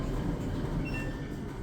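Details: Samsung DV431AEP/XAA dryer after replacing the motor that only hummed without engaging: even low rumble of the drum turning with steady motor note, no hum-stall or squeal; tumbling normally.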